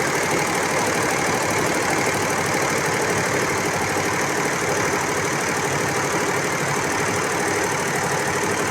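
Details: Embroidery machine after a new shuttle was fitted and timed at 16, threaded with bobbin in: fast, even clatter with no catches; runs normally now, whereas before the thread broke immediately.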